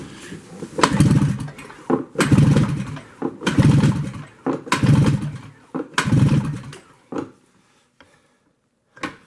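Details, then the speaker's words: 1973 Skiroule RT 440 snowmobile, long unrun, compression test by pull-cranking: five strong even chuffing pulls, no firing, gauge near 115–125 psi; good compression. "Oh yeah. If you guys can see that. That's close to 115, 125. That's doable."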